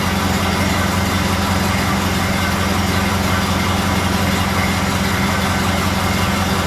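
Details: Model A Ford warming up after exhaust manifold gasket replacement with high-temp silicone sealer: steady, even low four-cylinder idle with no ticks or leak puffs; gasket holding for now, healthy idle.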